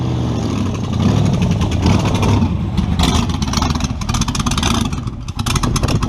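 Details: Model A with a 350 small-block Chevy (hydraulic roller cam, 9:1), tunnel ram with two Edelbrock 600 cfm carbs jetted lean, in a driveway test: V8 revs up rough, then sags and stumbles when floored; owner unsure if rich or lean.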